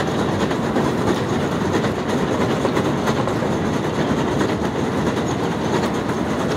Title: New York City up-close - noisy escalator, 11/21/18